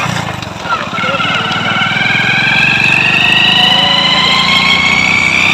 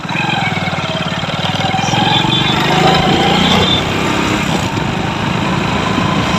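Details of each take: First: Hero Splendor Pro motorcycle, before repair, noisy when pulling in gear: the engine revs up with a rising whine over a fast rattle that tracks speed, from a worn primary drive gear, which was then replaced. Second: Hero Splendor Pro after replacing the gear primary drive (GPD), which had caused a harsh engine noise when riding in gear: quick, steady single-cylinder idle beat with no rattle or clatter; normal idle.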